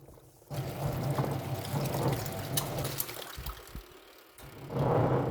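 Water sloshes over a steady low drone that rumbles through the wash cycle. The wash drive is rumbling, cause undetermined.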